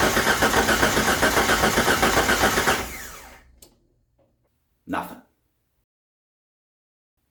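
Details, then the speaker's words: 1989 Jeep Wrangler YJ, carbureted, sat in a field over 12 years, first start attempt: steady starter cranking near four beats per second for about three seconds, then stops with no firing; cranks but won't start, cause unconfirmed. "try and start the car for the first time in 12 years"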